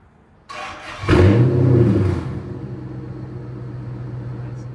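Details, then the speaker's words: Flood-damaged SRT8 V8 after a temporary fuse box and cleaned grounds: catches, revs sharply, then holds a steady, even humming idle after brief sluggishness, no misfire or knock; normal running, though in limp mode with a TCM communication code. "listen, now it sounds like it's humming. It does. You could tell it was sluggish for a little bit, so we're gonna run it, but it sounds good."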